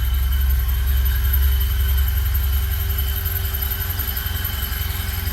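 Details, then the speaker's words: 1974 Alfa Romeo Spider Veloce, 10K original miles, after 30 years' storage and fuel pump repair, warming up without air cleaner: steady low idle thrum about two beats a second with faint constant whistle; normal idle. "I'm running without the air cleaner. It's idling pretty nicely. Check for leaks before. Fuel pump is good."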